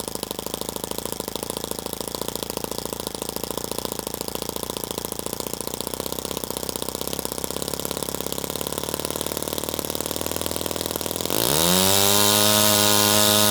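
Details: Toyan FS-S100AC miniature four-stroke kit engine, restarted to film the valve train: rapid, even ticking at about four beats a second, holding steady throughout; smooth, healthy idle.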